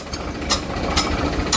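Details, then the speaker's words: Shaktiman rotavator after bearing and wall-seal replacement: even low drone with no grinding or bearing growl, only a light tick about twice a second from newly fitted blades needing a ball; running normally. "તો મિત્રો આ રીતે આપણું cutter હવે બહુ ready થઈ ગયું છે કોઈ પણ જાતનો અવાજ નથી"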